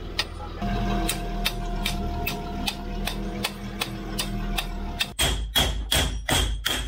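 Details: Land Rover Discovery 3 2.7L TDV6 on a test drive after an engine rebuild and a 2000 km Alps run. Sharp ticks about three times a second turn into heavy clunks from one side. Cause suspected, unconfirmed.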